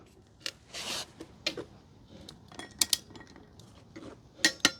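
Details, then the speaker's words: Torque wrench test set low (about 40, then 60, 80 ft-lb) while installing rear sprocket on 24,000-mile Honda Rebel 1100 DCT: sharp metallic double clicks, breaks over cleanly at set torque; wrench working properly. "And I'm going to test it to make sure that my tool is working as it's supposed to, so that we don't over torque it and risk damaging."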